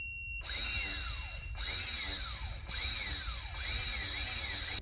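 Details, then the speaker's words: Honda 400EX ATV that died on the trail, starter removed and spun off the bike on a jump box: four short bursts of clean, high electric whine, no grinding or clicking; starter fine, engine found locking up. "It turns over fine. So it's gotta be something down here."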